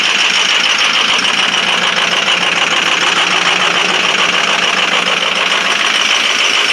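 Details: 2005 Ford 6.0 Powerstroke diesel, cold start at 17°F, injectors 1 and 5 bad: loud, clattery cold idle with an uneven, stumbling beat about twice a second; misfire from the faulty injectors.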